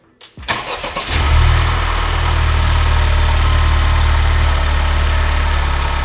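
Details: 2019 Honda Civic Type R FK8 just fitted with an AFE Takeda intake, untuned: quick crank, clean catch, then steady deep even idle with no knocks or rattles; healthy turbo engine.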